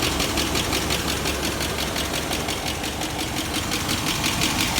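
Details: 1996 GMC 1500, barely run since 2016, idling: sharp regular tick about three per second over a rough idle, owner thinks it got worse; slight smoke; truck also overheating and not charging; cause unconfirmed.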